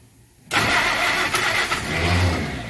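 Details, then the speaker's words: Engine with freshly set-up carburetor and oil bath air cleaner on first start attempt: dull, labouring, uneven cranking as the starter turns it weakly; owner unsure if normal, loose or needing adjustment. "Come on starter... That starter does not sound good. I don't know if that's just normal, it's loose, needs adjustment, or what."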